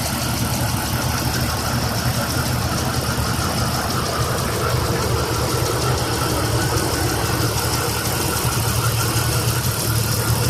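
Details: Jeep XJ 4.0 warm idle, noise newly started after warm-up: light fast tick about three per second over steady engine hum; owner suspects the valves.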